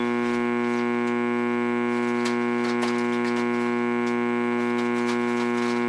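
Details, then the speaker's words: Radio audio amplifier at full volume with no input, switched from the silent transformer/LM-regulator supply to a wall wart: constant low buzzing hum with a bright edge, like power-supply hum, persisting even with a capacitor across it; wall-wart supply suspected. "Even with the capacitor across it, it's still humming. So there is a hum in the power supply in the wall wart one."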